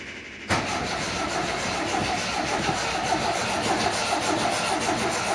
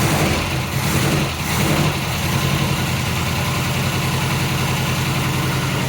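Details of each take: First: 1980 MGB after clutch release repair: starter churns the engine slowly and steadily for several seconds without it catching; hard start. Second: 1980 MGB after a clutch release fix, started cold with the throttle pumped: the four-cylinder settles into a steady, even idle with a low, regular thrum and no knocks or misses.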